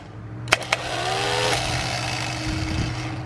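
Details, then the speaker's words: Replacement used starter for a 1971 Plymouth Valiant 225 slant six, bench-tested with a power lead: sharp click, then a smooth steady whirr without grinding or dragging; healthy starter, better than the failed one. "that's definitely better than what we have"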